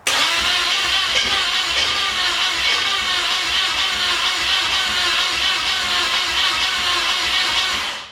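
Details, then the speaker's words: 1981 Pontiac LeMans sitting for years, plug wires on, premix fuel poured in carb: steady even cranking that never catches; cranks but won't start, owner thinks it needs more fuel. "I think it needs a little bit more fuel, so we're just gonna give it like that."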